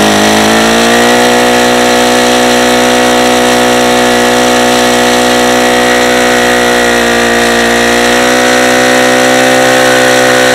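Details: Saito FA-150S four-stroke RC engine on 10% nitro, Xoar 17x8 prop, P2 plug, deliberately over-leaned: a high, steady, harsh-edged buzz at full throttle while it detonates.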